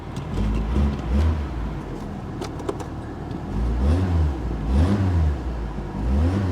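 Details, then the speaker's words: 1992 Saturn SL2 beater, running on a booster pack, AC on but not cooling: a few quick blips rise and fall cleanly from idle with no misses, knocks or rattles; engine revs freely and sounds healthy. "she sounds healthy i'm gonna go ahead and shut the ac off because that's not gonna do any good"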